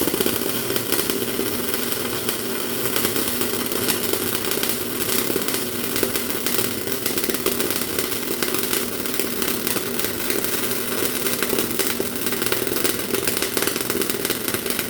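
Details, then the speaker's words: MIG welder with 0.8 mm wire, wire feed speed set too fast: harsh constant crackle with stuttering "bing bing" hitting sound instead of smooth sizzle; wire stubbing into work, not melting or fusing into puddle. "You probably heard there that noise that it just sounded like it was something hitting. Bing, bing, bing, bing, bing, bing, bing, bing. It's not melting, it's not fusing, it's not working properly."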